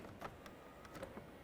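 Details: 1998-2011 Ford Ranger after power window motor and regulator replacement, door reassembled, testing mirror switch: faint even motor hum with light clicks as the mirror moves, no binding; power mirror motor working perfectly.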